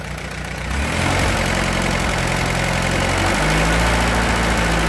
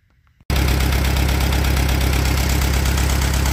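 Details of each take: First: Allis Chalmers B tractor engine after repairs, muffler fitted: catches and settles into an even, steady low idle for several seconds before shutting down; runs smoothly, burns a little oil, oil pressure just barely there. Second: Allis Chalmers B tractor: loud idle with an uneven, loping beat of about three to four a second and an occasional stumble, like a misfire; owner suspects a fouled number one plug or a distributor issue, and thinks the rear main seal may also be leaking.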